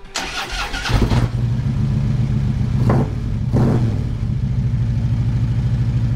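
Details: 2013 Harley-Davidson Road Glide Custom after replacing dead key fob battery that caused no-start: starter whirs briefly, engine catches and settles into steady, deep, even idle; normal start and idle.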